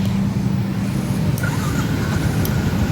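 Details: Yamaha Jupiter MX that would not start even with a new battery, starting after the fuse was pulled and reseated rather than replacing the starter relay: engine catches and settles into an even, steady low drone with no misses or knocks.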